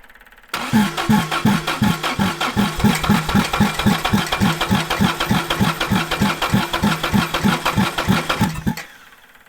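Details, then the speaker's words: 1960s General Supply 260 air compressor with a Kaiser Willys CJ2A engine fitted with a new electronic distributor: steady starter chug at about three strokes a second for eight seconds, never catching; flooded after the distributor was turned the wrong way. "I flooded it. Well, I guess we'll let it sit for a minute and then we'll come back to it."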